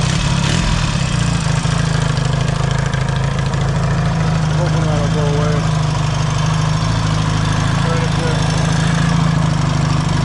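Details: Yamaha XS650 twin, already warm, after a new clutch cover gasket fixed an oil leak, carburetors were reinstalled and a different 2-into-1 exhaust was fitted: steady, deep, even idle with a loud low exhaust thump and no knocks. Normal idle.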